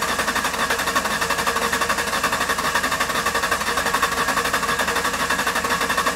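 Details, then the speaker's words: 2005 Ford Ranger 3.0L with flashing check engine light and misfire code, relative compression test cranking in clear-flood mode (throttle floored, no start): lopsided rhythm with one weak beat each cycle; low compression in one cylinder, mechanical cause (rings or valves) unknown. "okay we'll save the data all right so we definitely have got a low cylinder no question so right now we know this this engine has got a mechanical issue"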